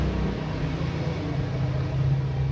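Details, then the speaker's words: Yamaha fuel-injected motorcycle, ignition on, engine off, tested with a manual scanner LED on the fuel pump ground-signal wire: steady, even low hum with no surging or stutter; fuel pump priming normally. "Kontak on, full pump dengung."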